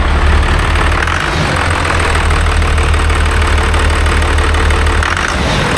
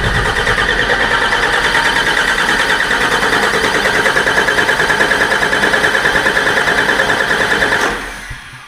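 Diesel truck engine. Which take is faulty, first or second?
second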